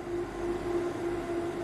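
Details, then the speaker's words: Growatt SPF 3000TL LVM 24V all-in-one inverter, battery at 27.1V, switching over to mains AC charging at about 30 amps (combined solar and utility limit 50A): steady mid-pitched hum with faint even buzz; normal AC charging. "so the combined uh amperage at the moment for solar and utility charger is 50 amps and you can hear that the inverter is now switching over"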